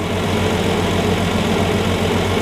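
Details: 1965 Plymouth Valiant 170 slant six, previously stalling after 3-5 minutes from carb boiling: after replacing intake and exhaust manifold with heat riser valve, steady even idle with smooth low beat, no stumble or hunting; running normally.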